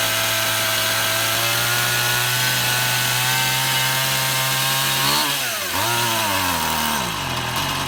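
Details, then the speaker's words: Stihl MS171 chainsaw, a cover off for priming, run outside: high steady drone that stumbles and sags twice before picking up, only runs on choke; fuel restriction, engine starving for fuel from a blocked carburetor fuel screen. "Uh, it only wants to run when I'm operating the choke. We've got uh some kind of a fuel restriction."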